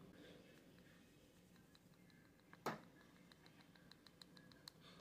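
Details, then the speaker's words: PCV valve removed from a 2010 Honda CR-V, shaken by hand: light, quick metallic clicking as the plunger moves freely inside, not stuck. This shows it is free, though not that it works properly. "so you shake this and you can hear the clicking noise so that metal piece is actually free inside which is a good sign"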